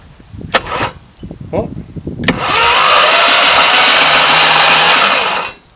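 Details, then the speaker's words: 1973 Plymouth Duster slant six, sat in a field 20+ years, spark plugs removed, cranked via temporary starter solenoid: steady even whirring spin about three seconds without knocks or bangs; turns over freely, no compression. "all the spark plugs are out so there's no compression right now so it is turning over i don't hear any like banging"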